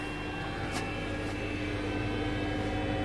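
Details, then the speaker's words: Trianco Aztec electric boiler with unvented cylinder, heating switched on: quiet, steady mid-pitched hum with faint low drone, no rattle or grind as the circulating pump sends flow up through the unit; normal pump run. Fault elsewhere: no hot water. "you can hear the pump running so this is a pump here which sends a flow up through the unit"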